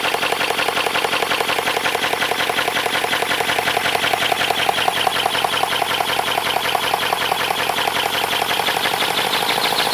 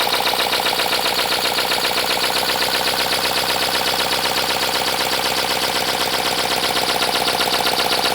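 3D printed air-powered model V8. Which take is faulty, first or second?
second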